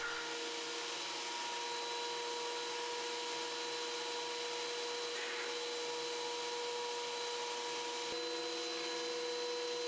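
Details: Wen 6552T 13-inch 3-blade benchtop thickness planer, like-new condition, feeding workpieces fast: steady, even high whirr of motor and cutterhead at constant pitch, no knocks or rattles; normal running.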